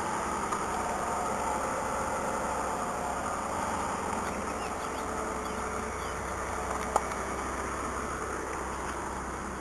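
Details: Mazda 626, 176,781 miles, cold start after rain, nearly out of fuel, short run then a small rev: smooth, even idle hum with no knocks or misses; normal cold idle.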